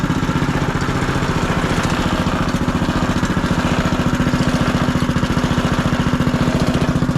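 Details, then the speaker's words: Small single-cylinder engine on first start after side-cover gasket replacement, fresh oil, new torque converter and air filter fitted; quick, even idle, steady firing, no misses or knocks, background noise present. Running well, normal idle. "But dude, she is running. This is great news. Awesome news. Don't mind the background noise, but engine's running."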